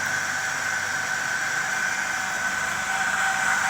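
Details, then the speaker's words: Small blower fan salvaged from a Hunter heater, windings intact, first power-up after rewiring: even whirring hum with thin whine and faint wobble from slight imbalance; runs but likely needs cleaning and oiling. "well it's working sounds like it sure could be coined and oil though"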